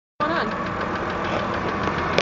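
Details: 2008 BMW 328 (E90) after sitting parked outside for 24 hours: right after the cold start the engine catches and idles with a rough, tapping knock-like clatter; cause not yet found.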